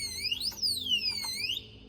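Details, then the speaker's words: Alarm disc lock on a motorcycle, triggered on second disturbance: loud electronic siren sweeping up and down in pitch for about a second and a half, then cutting out as the lock is opened. "Dan kalau kita kacau lagi kali kedua, bising weh. Okey, so dalam 10 second dia akan berbunyi macam tulah. Memang bising gila bunyi dia."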